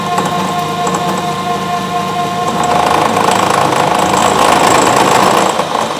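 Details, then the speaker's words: Bridgeport 1 HP R8 milling head on an American Tool Works planer mill, 5-inch face mill at 135 RPM, roughing pass on bar: steady even cutting tone holding pitch under load, no chatter, a normal clean cut. "that's cutting pretty good at that feed rate um so I'm actually running 135 RPM that's a five inch base Mill"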